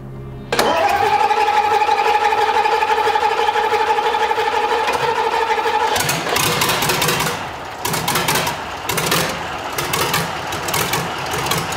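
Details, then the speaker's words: Tatra 148 engine, first start after a full rebuild: it catches after a short crank and settles into a steady, even run with a clear tone. Temporary oil gauge shows pressure; runs normally. "So it looks like everything is good."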